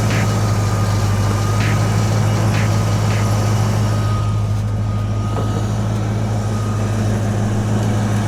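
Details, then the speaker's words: 1993 Ford Mustang Cobra V8, rear-end wreck, idling smoothly under its own power after the fuel pump wiring inside the tank was reconnected and the air intake tube refitted; deep, steady, even rumble with no knocks or misses, normal healthy idle. "purring like a kitten."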